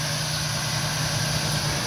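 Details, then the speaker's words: 2000 Ford E150 van 4.2 V6 after replacing growling alternator, engine idling, air cleaner off: smooth quiet hum, no growl or whine; charging system good, noise gone. Normal idle. "ah there you go quite as a mouse big difference from what it was before right"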